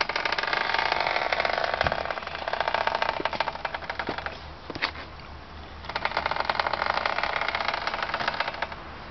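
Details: 2004 Subaru STI pushed at about 1 mph: rapid rhythmic clicking, turning to dry scratching as speed rises, from both front wheels. Brakes are new, hub bearing thought unlikely; noise vanishes after rain and is louder in dry air.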